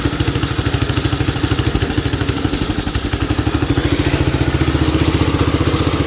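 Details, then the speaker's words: 1967 Gravely 430 sat outside for years, after clearing debris from the ignition points: steady, even single-cylinder putt around two firings a second, rising slightly, no knocks or misses; engine good, not smoking or burning oil. "this engine's good see it's not smoking or burning oil it's burning things off that I've spilled on it"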